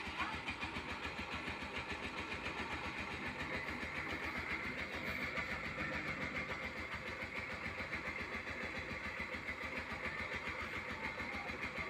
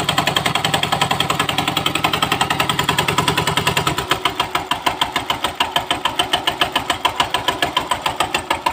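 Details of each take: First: Suzuki GD 110 single-cylinder motorcycle with electric starter, after repair: small single idling at an even, steady beat of about three and a half pulses a second, with the earlier clatter gone; the cause was a broken Allen bolt that let the starter bendix at the magneto work loose. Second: Suzuki GD 110 motorcycle with electric starter, before repair: rapid metallic clatter of about three and a half knocks a second, sharpening while cranking; the starter bendix at the magneto had come loose after its Allen bolt broke, so the advice is to check the bendix before any overhaul.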